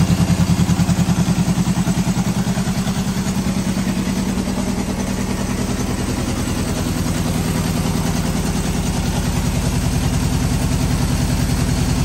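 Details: 1973 Honda CB750 first start after sitting 15 years; the no-start that got it parked was a worn-out kill switch. Even, rapid exhaust pulses that hold steady and swell slightly; the four-cylinder runs cleanly, normal running.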